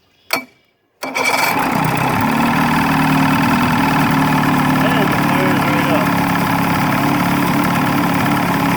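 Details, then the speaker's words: 35hp Evinrude outboard, model E35ECIG, after tightening the loose nut on the neutral safety switch that caused a no-start: quick crank, catches instantly and settles into a steady even idle with no misses or stumbles. "So now that I have it tightened back up, we shouldn't have any issues."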